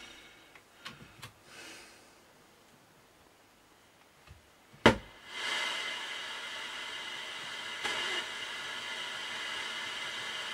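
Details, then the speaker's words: 1967 HMV Stereomaster 2328 amplifier after swapping two AF-156 transistors between channels: after a click, a steady hiss with no program playing; noise moved to the other channel, and this channel is still somewhat noisy. "I just had Jay on the phone and I've just swapped these two AF-156s over, and now this channel's noisy and this one's as quiet as a mouse. Well, that one's still a bit noisy, but"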